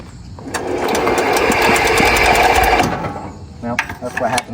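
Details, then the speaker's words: Hatz diesel on homemade Sears garden tractor, cranked with a lawnmower starter-generator; starter whirs briefly then dead stops at compression, lacking torque to turn it over: starter stalls at compression. "They turn it over, and as soon as it hits the compression, it just dead stops."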